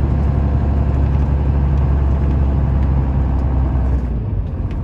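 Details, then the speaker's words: 1995 Dodge Ram 3500 dually 4x4, 12-valve 5.9 Cummins, five-speed manual, 45k miles, fully serviced, driving uphill: heavy, even diesel drone under load, no chirp or grind; healthy engine and gearbox. "head up the hill so you can hear this cummins run as well as the five speed you can hear how it doesn't chirp doesn't grind"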